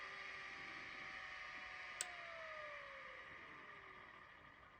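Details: Miniscribe 6085 vintage 5.25-inch hard drive: steady high spindle whine, a single click as the heads park at shutdown, then a smooth falling spin-down tone. The drive sounds healthy and probably works.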